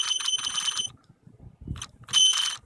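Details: Mini E-Revo RC truck, light throttle: a high, thin whine in short throttle bursts, stopping between them, while the drivetrain spins without slipping; owner asks if normal; motor or transmission noise, cause unclear.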